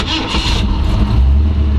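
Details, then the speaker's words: 1933 Ford Factory Five hot rod coupe, 302 V8 with AOD automatic, 586 miles: brief starter whirr, catches within half a second without touching the gas and settles into a deep, even V8 rumble; clean healthy start. "right up i didn't have to touch the gas"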